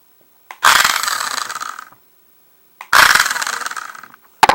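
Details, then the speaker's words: Child's R/C dune buggy after a transmission repair: gear train regreased, motor secured, one stripped gear tooth left in. Short high motor whirs with a gritty chatter from the damaged tooth. Sounding better, possibly acceptable. "we might be we might be okay with the one bad tooth"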